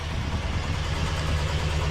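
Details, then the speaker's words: 1967 Ford Galaxie 500 four-door V8 idling after a new fuel tank, with a deep lumpy burble and a faint puffing tick from a small exhaust leak. "You hear that little exhaust leak? She's got a little exhaust leak."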